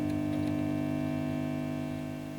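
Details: Early Orange Matamp ORST guitar amplifier on the bench during hum-reducer coil experiments: steady low buzzing drone with higher tones layered, fading slightly; mains hum, cause suspected.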